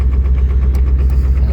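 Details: Ford 7.3 diesel truck just cold-started after sitting unplugged with below-freezing days, running at high idle. The deep idle has an uneven, lumpy pulse instead of a smooth clatter; the owner suspects gelled fuel; rough idle.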